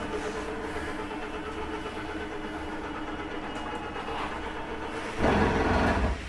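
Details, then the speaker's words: 2017 Jayco Jay Flight 284BHSW travel trailer slide-out running out: steady motor drone, then a brief grinding burst under a second as the slide reaches full travel; just the slide seating itself, normal. "Don't worry, there's nothing grinding. That's just the slide setting itself. It does not hurt to hear that for a second or two."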